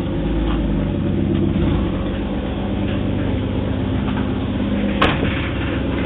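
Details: 1986.5 Toyota Supra 7M-GE first start after rebuild: steady, even low idle with smooth rumble, no knocks or misses; a brief valve tap before oil circulated went away; idling healthily.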